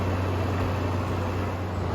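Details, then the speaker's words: Window air conditioner whose compressor would not start, now forced on by bypassing the main relay on the circuit board with an alligator clip: steady, even low hum, compressor starts promptly and runs smoothly; air output drops from 62 to 42. "Before I turned it on, I removed one side of the alligator clip, and when I turn it on, you'll hear the compressor right away."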